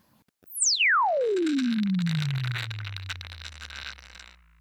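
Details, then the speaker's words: Loudspeaker driven by a falling test tone, with a gritty buzzing rattle riding over it as the pitch drops: loose particle transient distortion, compared against a good speaker. "Do you hear that rattling noise?"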